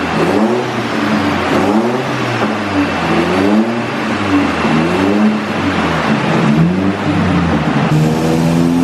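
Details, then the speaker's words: Stroked SR20 (SR22) 180sx, final full-load dyno pulls after fuel system overhaul and tune; strong clean revs climbing smoothly and dropping back, no misfire or stumble. "Now I'll stop rambling on and let you enjoy the final pulls where you can listen to the SR20 sing."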